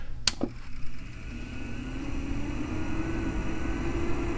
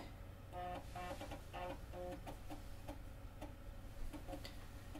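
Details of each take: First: Macintosh SE/30 (about 30 years old) with original power supply, before Seasonic replacement, screen not coming on: sharp click then faint steady low hum and strange noise; failing power supply. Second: Macintosh SE/30, stock 16 MHz, after replacement with a Seasonic power supply, booting a system disk from floppy: quiet short buzzing head steps and soft ticks in a steady rhythm, normal floppy drive operation.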